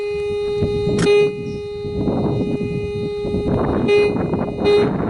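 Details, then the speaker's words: White's Coinmaster 5900/Di Pro metal detector, about 30 years old, regular discrimination, testing an 1883 Morgan dollar buried 5 inches: steady mid-pitch threshold hum with brief brighter tone bursts over faint outdoor noise; clean target response, reading as a dollar. "So alright, the first test is a Morgan 1883 dollar at 5 inches, and I've got it on regular discrimination."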